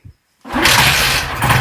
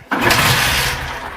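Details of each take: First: Bajaj Platina 125cc motorcycle that wouldn't start after washing: brief quiet, then a quick crank that catches at once and settles into a steady, even-firing idle; starts cleanly. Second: Bajaj Platina 125cc motorcycle after a wash, hard to start with no pickup: the engine catches with a burst, climbs briefly, then sags and dies when the throttle is opened. Stalling under revs caused by wet electrical connectors.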